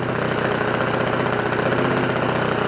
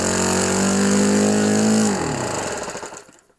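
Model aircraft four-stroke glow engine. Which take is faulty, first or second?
second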